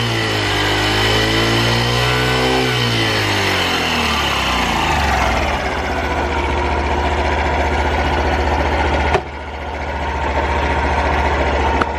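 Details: Honda Super Cub 50 FI AA04 parts bike, recall work done; revs rise and fall smoothly then settle into even idle, no ticking or knocking, no abnormal engine noise: normal running.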